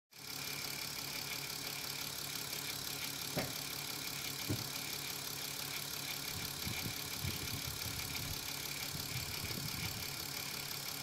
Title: Audi a3 2003 3.2 idle grinding sound